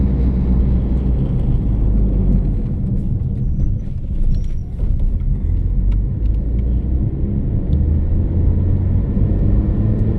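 Steady low drone under the road rumble while cruising, holding one pitch throughout; a droning hum whose source can't be pinned down.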